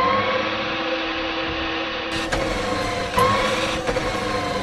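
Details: Electric tricycle drive motor after repair (water-rusted outer bearing replaced, greased, seams sealed): steady, even hum with a clean mid-pitched whine, no grinding or knocking; checking whether the loud noise is fixed.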